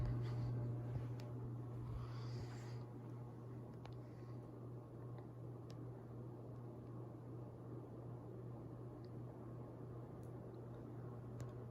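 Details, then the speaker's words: 52-inch Canarm Kincade ceiling fan on high: low steady hum and buzzing with a faint slow rhythmic pulse, a slight wobble, noisier than its twin. "slight wobble to it does push a good Breeze like the other one"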